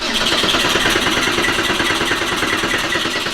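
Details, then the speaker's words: Porsche 964 flat-six cranking before its first start after a rebuild: strong, even starter churn with 20 psi oil pressure while cranking; healthy. "heck yeah you're good cool 20 psi of oil pressure cranking that's fantastic and you could hear it sounds happy"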